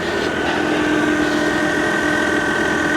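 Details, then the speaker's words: Engine idling evenly with a steady high-pitched whine at constant pitch; air conditioning compressor running normally; alternator suspected dead as the whine source, battery light on; unconfirmed. "oh alternator's Dead That's The Whining yep yep yep that's what it is that's why the battery lights"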